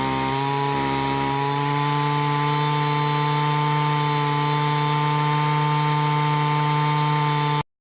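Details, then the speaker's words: Stihl trimmer at full throttle while setting the high-speed carb screw: buzzing pitch steps up after about a second and holds steady humming as RPM reaches peak, screw set slightly rich. "start turning it back in again, slowly, till you hear those RPMs just come up to where it's making that humming sound. That's where you want that high-speed screw set at."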